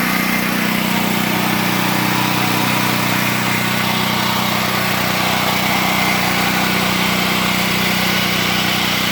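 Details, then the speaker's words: Predator 8750 generator warming up for a few minutes before power transfer to the house, heard from the panel with the generator running in the back: steady, even drone at constant pitch, no knocks or misses. "So here we are at the panel. The generator, you can hear it running in the back."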